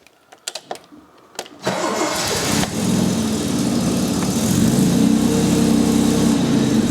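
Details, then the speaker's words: Steadman TS-100 with a Jaguar XJ6 Series III 4.2 L engine, after setting ignition timing, carbs not yet adjusted: a short crank, then a clean catch to a smooth idle at about 700 rpm. A healthy start. "and that sounds real good um of course i still have to do a test ride with it but i'm quite happy the engine runs at around 700 rpms"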